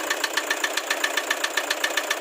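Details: Toyota HiAce Commuter with 2KD diesel engine at steady idle: a sharp, even metallic knock, roughly seven a second, riding over the diesel clatter; knock present, cause undetermined.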